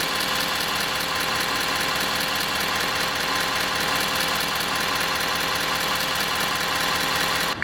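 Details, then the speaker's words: 2017 Ford 6.7 Powerstroke diesel at idle, heard under the hood; a buzzy metallic rattle rides over the idle when the transmission dipstick tube is released; the loose tube vibrates, causing the rattle heard near the wiper motor area. "Watch when I let it go. It has a slight vibration to it."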